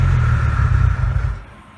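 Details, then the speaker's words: 2JZ-swapped Nissan 300ZX, first start of 2020 after sitting a few months, cylinders oiled with Marvel Mystery Oil; deep steady rumble fading after about 1.5 s as the run burns the oil out of the head; healthy normal running. "so that last run burned most of the oil out of a head so that's good"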